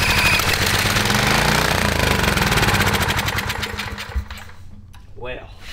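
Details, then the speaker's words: 1980s Kawasaki FA130 mini bike engine, barn find revived: revs hard and fast with an even crackly beat, no knock or tap, no smoke, then dies away; normal running. "a great sign yeah dude no smoke no knocking perfect"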